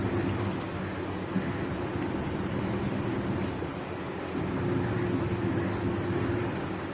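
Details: Videocon FA55 washing machine wash cycle after gearbox replacement: water swishes steadily with no rattle or clatter from the drive; previously noisy gearbox now smooth and quiet.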